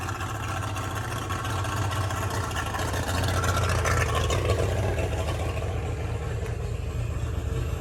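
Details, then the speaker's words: Boat engine hotwired and choked, after fixing poor running: deep steady drone holding even speed, RPM gauge no longer dipping, no surging; normal running. "And that RPM gauge is not dipping around like it was before. Dude, this sounds a lot better."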